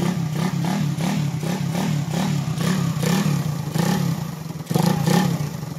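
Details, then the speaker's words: Single-cylinder motorcycle engine from Bohol, freshly rebuilt and now fitted with cam and compression release: revs up and drops back cleanly several times with a steady exhaust beat, no knock or rattle; healthy revving. "Goods na to. Bomba mo na ng isa, pre."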